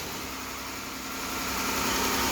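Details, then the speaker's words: 2015 engine after repairing a minor valvetrain tick by replacing rocker arms: smooth, even idle with steady hiss and no ticking from the top end; valvetrain quiet and healthy. "right now listen to this yes squeaky quiet well squeaky clean squeaky quiet"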